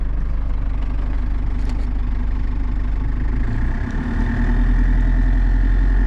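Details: Cummins 4BT Tahoe with compound turbo, after manually cleaning coked injectors and a test drive: steady, even diesel idle clattering about three to four beats a second, no misses; no more haze or smoke.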